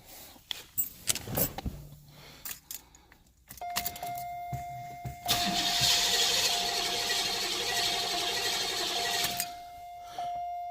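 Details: 1990 Cadillac, sat eight or nine years, warmed to operating temperature: starter spins steadily about four seconds with a chime ringing but never fires; hot crank no-start caused by a failing ignition coil, not the VATS security system.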